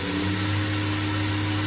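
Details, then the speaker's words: 2015 Doosan DNM 750 vertical machining center (Fanuc i-Series control, about 500 cutting hours), spindle stepping from about 3,000 to 5,000 rpm: smooth, steady hum with a clean tone, no grinding or rattle. Healthy. "Currently running about 3,000 RPMs right now. 4,000 RPMs. 45. 5,000."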